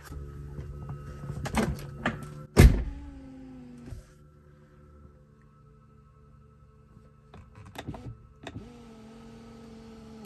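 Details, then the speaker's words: Tesla Model 3 with a failing 12-volt battery, after a low-voltage alert: the power window motor hums and drags in increments, sagging and stalling between clunks as though supply voltage is too low. The motor struggles on weak 12V power. "if you listen closely to hear that some kind of humming of some sort that doesn't sound good actually"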